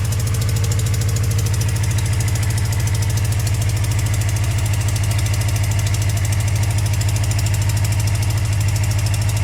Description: Cold start after sitting for 4 months. Bike has an exhaust leak. That is what the ticking sound is.